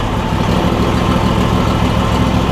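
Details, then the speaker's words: Replacement Briggs and Stratton V-twin on a John Deere E140, unrun for probably at least three years, at idle: low, even, steady pulse without knocks, misses or hunting; slight smoke, owner suspects oil in the muffler; normal idle. "good news this is running pretty good"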